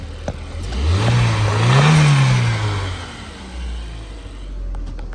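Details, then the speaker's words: Cheap MK1 Audi TT that previously started only intermittently, after fitting a replacement ECU: engine catches, climbs through a smooth rev and settles back, no knocks or misses; healthy start, fault apparently a bad ECU. "Oh, let's go. I generally can't believe that is running, and that's all it was."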